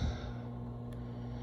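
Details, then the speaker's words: Hiblow HP-60/80 septic aerator after a rebuild kit fixed the broken unit that had triggered the alarm: steady low electric hum with a faint even buzz, bubbling, alarm off; normal operation after repair. "But yes, it's working. Alarm's not on anymore. That's bubble. You can hear it going."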